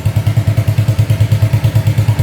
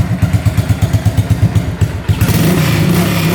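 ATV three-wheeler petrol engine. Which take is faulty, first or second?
first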